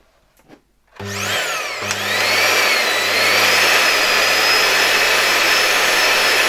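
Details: LG V-3340D vacuum cleaner fitted with a new no-name replacement motor (old one had become loud, likely bearing), first test run via voltage regulator at reduced voltage: spins up with rising whine to smooth steady high-pitched hum, no excessive sparking; normal run.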